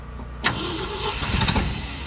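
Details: 1972 Ford F250 truck: starter spins, then the engine coughs and stumbles, half-catching without settling to idle; still not good, with a clogged carburetor suspected.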